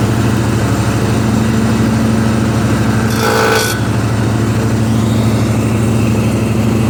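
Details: Husqvarna mower with cutting deck engaged, moving or sitting still: engine runs steadily with harsh metallic grinding underneath; blades are tightened, source not yet found.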